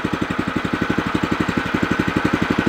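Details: New O'Mac MC700 tiller on first run, warming up with throttle pulled to minimum: steady, even single-cylinder putter with no knocks or misses; idle is quiet and smooth, healthy.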